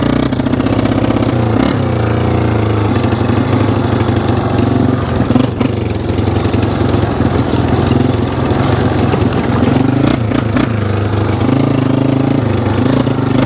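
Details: 1995 Yamaha Wolverine 350 ATV at steady mid/half throttle: uneven blubbery stumbling and surging, flooding with too much fuel; idle and full revs fine; carburetor needle suspected, plan to lower it one notch.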